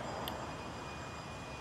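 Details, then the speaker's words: Buried water line under driveway, listened through ground microphone with noise-cancelling filters: soft steady hiss like trickling water, not the leak's shush; leak guessed to be further uphill. "Right now what I'm hearing is more water trickling. So I'm going to guess that the water is actually uphill from here. I'm not hearing the actual shush, but it's more like a babbling"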